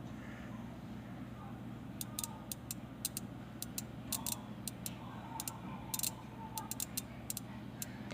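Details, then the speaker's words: 12-volt relay without a pinout, coil fed from a computer power supply after finding power pins with a curve tracer: sharp dry clicks in uneven bursts over low mains hum; relay pulling in and switching normally. "click noise is the relay turning on. Since it is a 12-volt relay, since it does say that in the data sheet, it turns on."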